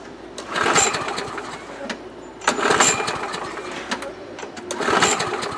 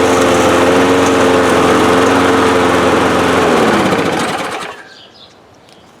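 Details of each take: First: 2005 Murray Quantum 6.5 mower engine with new carburetor and primer bulb: fires in short bursts about every two seconds, then sags each time; fuel starvation, suspected plugged holes in primer backing plate; later traced to that plate and fixed. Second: 2005 Murray Quantum 6.5 mower after swapping in primer backing plate from a Craftsman, with new carb, gaskets and air filter: runs smooth and steady about four seconds, then winds down evenly at shutoff; normal running.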